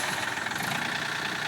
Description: This cub cadet w/ yanmar diesel engine has a messed up transmission. Just listen